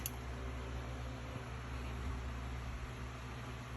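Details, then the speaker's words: Desktop PC power-on after fixing the no-power fault: power jumper moved off the PLED and HDD negative pins, and the GPU PCIe adapter properly seated. A steady low hum and soft even fan rush with no clicks or rattles. Powers up healthy. "Everything powers up, and yellow."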